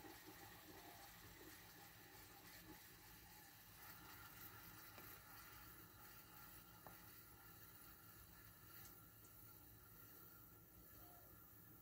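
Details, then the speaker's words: Keystone window air conditioner with R-410A refrigerant, just switched off after running. A steady soft rushing, gurgling hiss with no motor hum is refrigerant equalizing after shutdown, which is normal. "As a kid, I always thought that sound was really cool. If this was a R22 unit, the refrigerant would probably be rushing around a lot faster in there, and it would probably have a different sound to it."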